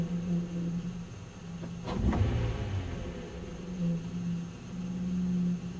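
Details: '97 Nissan Maxima idling with a steady low droning resonance that fades when given a little gas, then returns as the engine settles; owner unsure of the cause.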